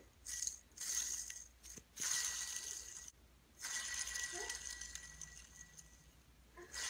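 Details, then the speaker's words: Idler pulley removed from a Mustang with 200,000 miles, likely never changed, spun by hand: a dry, gritty rasping whirr in short bursts; the bearing has no grease left. "as you can see trying to spin that with literally no grease in there okay that's what that one looks like it's it's pretty much just dry you can hear the grittiness"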